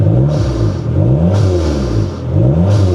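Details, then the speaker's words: Dodge Neon SRT-4 turbo: deep revs rising and falling, each throttle lift-off followed by a crisp hiss from a healthy blow-off valve venting. "that blowoff out it sounds good guys"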